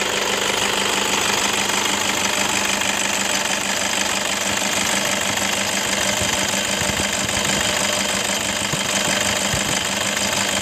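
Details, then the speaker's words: 2011 Toyota Fortuner 2KD 2500 cc diesel idling with a harsh, gravelly rattle from a worn belt tensioner assembly and light jingling from worn idler bearings, upper and lower. "hai oke Guys diri bunyi seperti itu Kasar banget ya Nah ini tersebut itu berasal dari engselnya sama Idol bearing deh"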